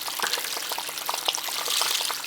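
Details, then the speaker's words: House heating loop with PEX piping on well water, purged through the purge valve; hissy spitting and crackling as air and water sputter out, the loop is airbound and not circulating; the circulator is also suspected. "Airbound. Gotta get that out of there, it won't circulate."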